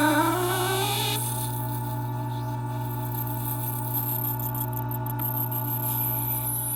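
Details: Taotronics TT-IC001 nugget ice maker after about 7 months of use, at start of cycle with no ice yet made: loud sustained squeal climbing then holding over a low motor hum, from the auger pushing ice up past the mushroom head.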